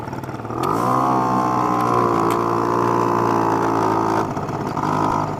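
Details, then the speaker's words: Honda Spree moped two-stroke running after clearing out the exhaust; carburetor still a little off, idle a bit high, buzzing fast and steady, revving briefly and settling high instead of dropping low; owner plans to turn idle down. "all right she's running guys the carburetor's still a little bit the carburetor's still a little funny I hear the idle is just a little high right now but it is running"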